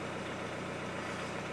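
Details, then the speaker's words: Hyundai Santa Fe I 2.0 CRDi diesel after partial repair, considered fixed though tank still needs cleaning of paint-like contaminant: smooth even low diesel clatter at steady idle, no misses, knocks or hunting; running normally. "każdym razie samochód już w tym momencie można powiedzieć, że jest naprawiony, no bo chodzi, no ale muszę zadzwonić do niego."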